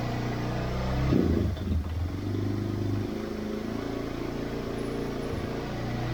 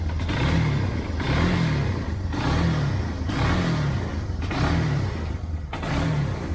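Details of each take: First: 1999 Yamaha Bear Tracker 250 ATV, suspected bad gas: single-cylinder idle wavers and sags then picks back up unevenly, idling then bogging. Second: 1999 Yamaha Bear Tracker 250 ATV after fuel flush and carb cleaning, Seafoam in float bowl, choke off: engine revs up and settles about once a second, each rise clean and even with no stumble; running properly, smoke from Seafoam.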